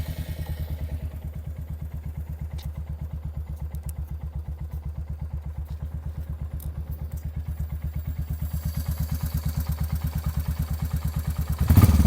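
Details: Royal Enfield Hunter 350 after cylinder head replaced at no cost to cure tappet noise: steady, even single-cylinder thump at idle with no top-end ticking; valve gear quiet, normal idle.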